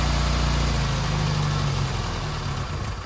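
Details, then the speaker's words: 1275 Austin Maestro, one owner, 40,000 miles, first start after 19 years on a frosty morning with cold start spray, some fluid dripping: even steady petrol idle, regular beat, no misses or knocks, settling smoothly; normal running. "But it sounds pretty sweet, doesn't it? That sounds sweet."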